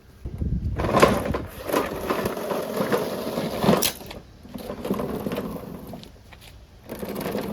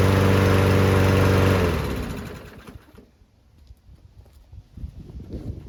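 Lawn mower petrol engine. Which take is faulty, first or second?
first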